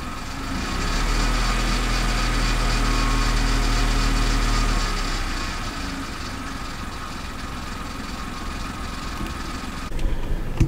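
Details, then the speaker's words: Kia Picanto three-cylinder petrol, about 9,000 miles, noise appeared suddenly after being parked, before repair: fast, light metallic chatter over a lumpy idle, steady with engine speed; owner believes it is the timing chain rattling. "yeah so immediately i thought oh man that definitely sounds like the chain a timing chain or a chain anyway"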